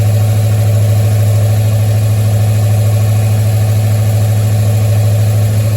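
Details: 1973 Mustang idling after a 1G-to-3G alternator conversion: smooth, even low hum with a steady beat and no knocks, whine or stumble. Charging at about 14.2 V and roughly 11 amps; battery good, engine cranked and fired perfectly.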